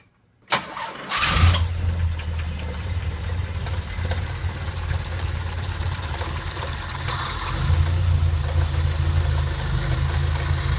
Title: Cold Start - engine knock1